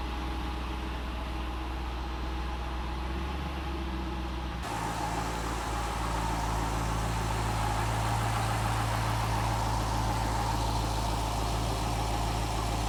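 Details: Cadillac CTS-V V8 after starter replacement: cranks and catches around five seconds (starter screeched slightly, pinion seemed to lag), then settles into an even, steady idle with no knocks; balancer solid, drive belt good, no leaks; normal idle.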